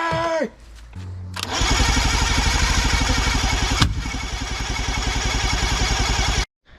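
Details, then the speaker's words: Boat outboard motor cranked on the starter after fitting parts, no fuel tank connected; steady cranking about four turns a second with occasional ragged firing on starting spray, spark and compression present. "but it's got spark compression it fires once in a while off of the spray and stuff"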